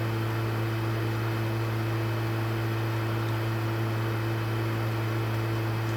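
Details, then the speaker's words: PlayStation 3 bought on OLX that is too loud and shuts itself off: constant loud turbine-like drone with a steady low hum that never changes; the console's cooling fan runs noisy and hard. "Mas na moral, que turbina, hein?"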